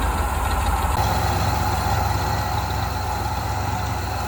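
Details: 1988 Ford Bronco, sat 24 years, first start after ultrasonically cleaned injectors were reinstalled: catches after about a second and settles into a steady, even idle with no knocks; normal start and idle.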